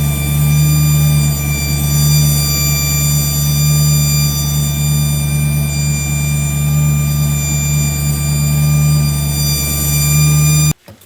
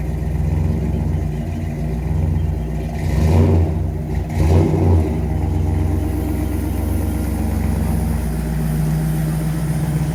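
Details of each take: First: Engine listened to through a hose as a stethoscope: constant high-pitched whine over steady rumble; owner feared the transmission pump, whine seems to come from around the distributor; cause unconfirmed. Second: Engine after fixing a distributor problem, earlier cold-start squeal/whine: smooth drone rising cleanly through brief throttle blips; transmission shifts well; normal running.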